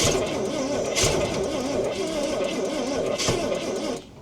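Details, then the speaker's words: Roughly 1968 Ford Falcon six-cylinder petrol engine, parked since 1990 with 20,000 original miles, on a freezing day. Steady starter cranking with a couple of sharp firing catches about two seconds apart, but it never runs on its own. "Oh, she's kicking. She's kicking."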